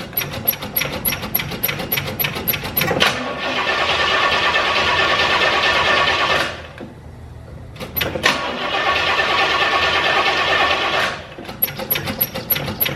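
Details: 1968 Oldsmobile 442 W-30 with a dead battery at 9.4 V, jump-started with a NOCO Genius Boost Pro: cranks about three turns a second, catches, drops off, cranks and fires again; starts fine.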